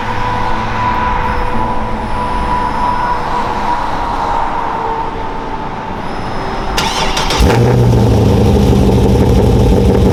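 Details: Cold start of a 383ci LS1 stroker in a 2002 Trans Am after fixing a cam sensor signal problem caused by cam plate thickness: steady cranking at about four turns a second, then it catches cleanly into an even, strong idle; normal.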